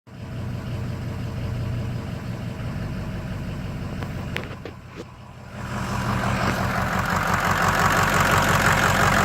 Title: Misfire rough idle?